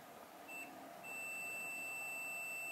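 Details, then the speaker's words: Samsung TV with normal sound but no picture and working backlight: multimeter in continuity buzzer mode on the LCD panel capacitors gives a steady high beep, meaning the capacitor is likely shorted. "Oke, kapasitor terluar ini memicu bunyi bel. Itu berarti ada kemungkinan terjadi korsleting."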